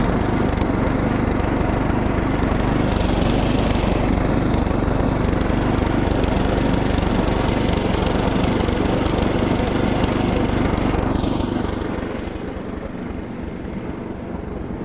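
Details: Older Craftsman SnowKing snowblower revived with maintenance (new plug, fresh oil, Sea Foam, starter fluid into the intake). The small single-cylinder engine runs a steady, fast, even putter at constant speed without stumbling. Normal running.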